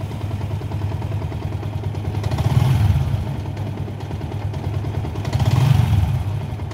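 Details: Yamaha Sniper 150 with error 46 and 96, after push start, battery voltage rising toward 14 V: steady idle with two clean throttle blips that swell and settle smoothly, no rattles or misses; normal revving.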